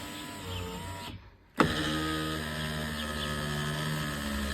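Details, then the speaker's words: Volvo V50 power window after regulator squeak repair: steady electric whir with even drone and slight strained tone as the glass rises; squeak gone but window motor itself is worn. "Ото що такий трошки є звук при підійманні це вже трошки уставший сам моторчик"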